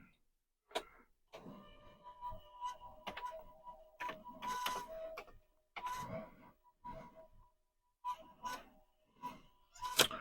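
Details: Commodore 1571 disk drive (from Commodore 128 gear) after long storage gives halting bursts of whirring and clicks with dead gaps between, straining unevenly while trying to read a disk.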